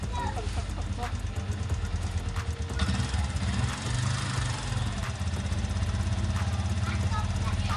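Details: Yamaha Sniper 150 FI after engine refresh and clutch damper, lining and spring replacement, test start: steady low idle, light even patter, no clutch rattle; running smooth.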